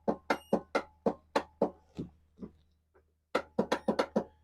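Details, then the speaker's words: Craftsman YTS4500 riding mower with a Kohler engine, no-start: sharp clacks about four per second in two bursts and the engine never turns over; the starter is failing and gets replaced. "Alright, so what that is it's your starter."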